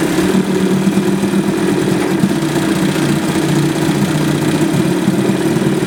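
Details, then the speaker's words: 1978 Johnson 25 hp short-shaft two-stroke outboard after cleaning a badly fouled carburetor that caused a no-start: steady buzzing idle without stumbling or surging. Normal idle. "Okay, so that 25 short shaft 1978 is running good."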